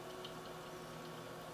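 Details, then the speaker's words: H220 AIO pump alone with hard drives, no fans, side panel off, OS booting, pump about 2400 rpm, up to 2990 rpm at full max speed: quiet steady fan-like whir with faint coolant trickle; normal pump whir. "currently the pump is running at 2400 rpm you know honestly sounds like a fan to me and that is the pump by itself running at full max speed"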